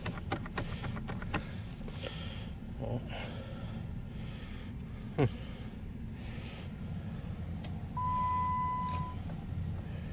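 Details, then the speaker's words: 2008 Jeep Grand Cherokee, reportedly with limp mode and transmission issues, after a battery was fitted and its connection wiggled: quiet clicks when the key turns, with no cranking and no engine catching; click-no-start, electrical or low-voltage fault suspected. "There's something clicking. Nothing."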